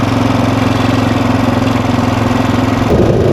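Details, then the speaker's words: Freshly rebuilt 1979 Honda XR500 single-cylinder, after desert riding later in the day: busy, steady tapping over each firing beat, noisier than before; noisy top end, owner suspects the valves need adjusting and will check oiling; cause unconfirmed. "That top end sounds super noisy. It's getting later in the day. I feel like I want to adjust the valves. I think the top end's gotten a little noisier since I've been out here."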